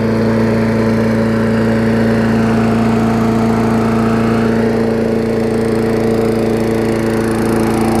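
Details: Old Murray push mower revived after not running for years: ground wire reconnected, carb diaphragm, air filter, new muffler, fresh gas, sharpened blade; started on second pull after washing. Steady, even drone holding constant speed, no surging, knocking or misses; normal running.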